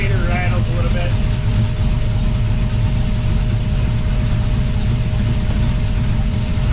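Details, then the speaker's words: 1979 Pontiac Firebird with a swapped 5.3L V8 idling before repair: steady deep idle with a faint uneven rattle underneath; runs poorly from a vacuum leak at a hole in the back of the intake manifold, to be plugged with a screw. "yeah it a it's not working working very good with that leak in the back or uh intake manifold so I got to find a screw small enough to fit that"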